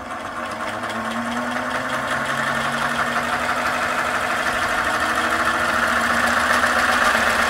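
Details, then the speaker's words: 3D-printed electric turbocharger at 100% full speed after greasing the gears: an even, rising whir with no grinding or rattle, sounding much better than before. Normal running. "effort and yeah woo that turns out really nice this thing spins really well oh my gosh and oh yeah that is amazing"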